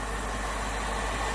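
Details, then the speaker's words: BMW 6 Series E63/E64 with N62 V8 idling at 700 rpm: smooth, even low hum with faint light ticking, no knocks or vibration, engine bay dead still; healthy idle. "so anyway that gives you a good impression of what sort of noises you should expect from the n62 nothing knocking nothing vibrating absolutely dead still in the engine bay there and idling happily and peacefully at 700 rpm"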